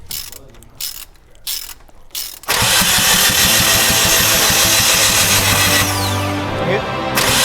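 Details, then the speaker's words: Datsun truck being rebuilt, distributor/oil pump drive gear timing reset after being 1–2 teeth off: starter grinds and whirs steadily with no firing; fuel present but no spark. "Yeah, there's fuel in there, so I'm not getting spark. Okay, no spark."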